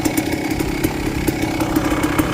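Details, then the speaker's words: 1998 Kawasaki KX250 two-stroke dirt bike, earlier no-start after a crash with low spark, now kicked over at the track with new oil: crisp even buzz, steady firing pulses, no misses or knocks; running clean and healthy. "Alright, at the track, she's running good. I just kicked her."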